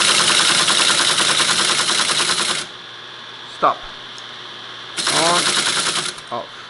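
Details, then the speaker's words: Teletype ASR 33 paper tape reader after its relay contacts were remounted, running in local mode without holding the button: a rapid, even clatter as the reader steps through the tape, then it stops cleanly. Normal tape reader operation. "I should now be able to turn the machine on local put it and the beginning of the tape and now I shouldn't have to hold the button anymore yeah"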